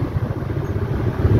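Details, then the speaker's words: Stand fan after new shaft and bushing fitted, previously humming loudly and not spinning: low, even hum with a soft airy rumble on speed two, no scraping or knocking; fan runs normally. "Yun number one guys oh. So wala ng ingay. Hindi na siya lumalaga'."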